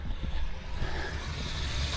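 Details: Off-grid rainwater transfer pump moving water to the cabin tank, rated about 25 gallons per minute: steady low drone with an even churn, no knocks or surges, strong healthy flow.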